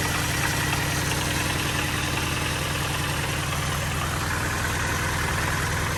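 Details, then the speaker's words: 2005 Mini Cooper S R52 convertible, supercharged, noisy-engine salvage car, jump-started: steady heavy knock over rough rattle at idle; owners' consensus suspects bottom end crank, possible past overheating (new header tank). "mini is in you heard it rattling its titties off um yeah I've put the video of it running on the Owners Club obviously you know I've had a few of these now but the consensus was bottom end crank"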